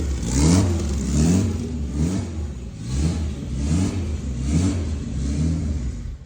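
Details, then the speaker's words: Honda Civic turbo drag build, first fire of the fresh engine after head gasket work: uneven, surging low rumble roughly once a second; runs rough only because the fuel map isn't tuned yet, tuner will work through the map. "he'll work through all that stuff in the map until it's right and then she'll start just starting and found sound to normal"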